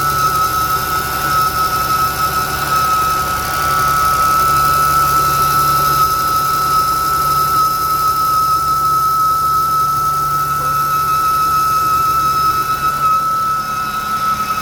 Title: New 2023 Jeep Wrangler making whistling noise on cold start up